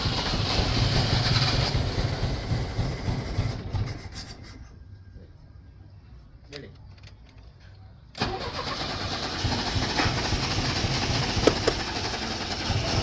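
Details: 1983 Chevrolet Chevette cranked with pedal pumping: long uneven cranking catches, runs rough and sputtery with misfire, then dies and cranks again; hard starting and stalling, and the car apparently needs mechanical work.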